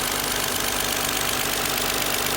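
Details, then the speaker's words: 2001 Lexus ES300 V6 after replacing both front and rear VVT solenoids (code P1349), codes cleared, warming up and idling at about 1,000 rpm instead of 2,000; smooth, even, calm idle with no misfire and no check engine light. "And it is warming up now. So I'm gonna go around to the front and show you guys how much more calm this sounds. Not misfiring, there's no check engine lights."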